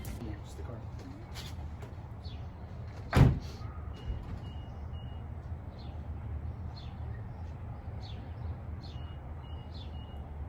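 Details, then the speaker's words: Infiniti G35 after starter replacement, which fixed its no-start: door thud, then low steady even idle rumble with no misses or knocks; sounds smooth and healthy. "alright now guys I'm telling you my car sounds so much better and I'm so happy it was so worth a watch"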